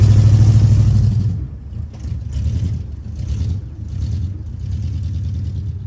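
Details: 1973 Ford F100 V8 at idle after new spark plugs and a timing adjustment; owner believes it needs plug wires. Deep, uneven idle surging and sagging about three times a second; stumbling misfire, cause not confirmed.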